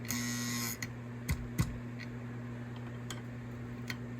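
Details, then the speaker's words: Lionel postwar 204 Santa Fe Alco diesel engine, non-running, before cleaning and rewiring: steady transformer hum and buzz with scattered clicks as the E-unit cycles; no motor whir, motor likely gummed up or not receiving power. "Unfortunately, this engine is a non-running engine. We'll start by taking out the screw and removing the shell. As you can hear, the E unit is cycling."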